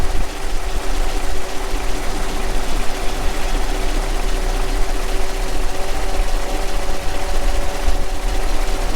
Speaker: Yeah. That popping in the intake. I think it might be popping all across.